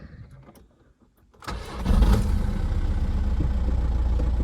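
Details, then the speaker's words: 2008 Volkswagen Golf 5, 2.0 diesel, manual, 200,027 km: brief crank, catches promptly and holds a steady idle with no hunting and no warning lights. A clean cold start, though a hammer-like knock from the engine is noted afterward. "старт хороший старт звісно хороший обороти тримаються не плавають ніякі чеки не горять"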